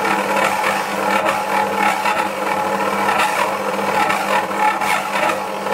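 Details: Dualit 88013 desktop mixer kneading 500g flour and 300ml water bread dough: a steady motor hum sags and surges under a faint rattle and skips speeds as the motor strains under load. A second unit did the same.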